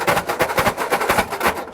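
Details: 1960 Ford F-350, revived after sitting 34 years, with a substitute carburetor lacking idle adjustment: rapid string of sharp pops and bangs, about five a second, then it quits; wrong carburetor dumping fuel and backfiring.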